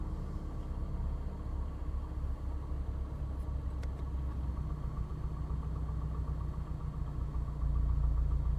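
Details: Engine at steady idle with a faint irregular knock underneath and no clear rhythm; switching the A/C on and off seems to bring on the noise; owner suspects piston slap, unconfirmed.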